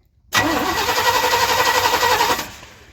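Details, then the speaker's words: One-ton truck that sat in a field for 20 years, after a new coil and cleaned battery terminal: about two seconds of steady starter cranking at roughly four turns a second, but the engine never catches; cranks and won't start, spark uncertain. "Nope. Nothing? Nothing. Really?"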